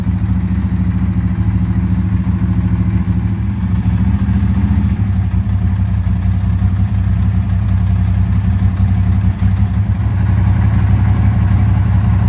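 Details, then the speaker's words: Ducati 748 SP after fuel pump replacement and uprated internal fuel lines, first key turn and start; deep steady twin-cylinder idle with even beat, no misses; normal idle. "oh yeah that sounds [Music] better see if it starts then"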